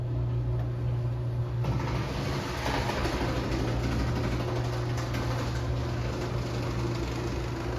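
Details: 1968 Dodge Dart drag car, stroker Mopar small block with solid roller cam, MSD upgrades, cold start: deep steady rumble with an even lope, big-cam V8 idling cleanly, nothing abnormal.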